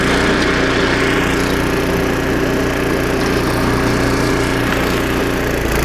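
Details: Snowblower about 25 years old, single-cylinder engine after carburetor rebuild with carb kit and new needle and seat, under load: even exhaust beat with some auger churn, running clean; normal running after repair.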